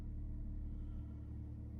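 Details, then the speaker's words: Audi A8 Quattro 3.0 TDI with 82,625 miles, start-up with no warning lights. Steady low diesel rumble, even and smooth, with no timing chain rattle on start. Healthy cold start idle. "no warning lights at all did you hear there was no rattle at all on the start on the chain or anything like that all happy there"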